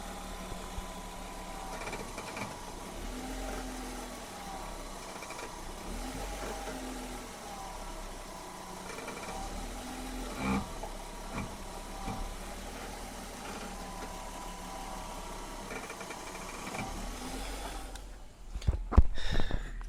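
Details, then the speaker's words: 1999 BMW E46 320i at idle: groaning creak repeating with each steering turn, worst turning left, heard for a week; fixed by injecting oil into the wheel's rubber boots, after which the noise disappeared. "I have noises from a week when I turning to left or right, but especially when I turning to left."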